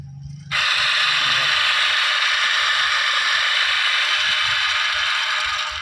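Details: Washing machine spin-dryer motor: a loud, harsh rasping roar starts abruptly when run, caused by a broken or rusted bearing; fix is bearing replacement, otherwise replace the motor.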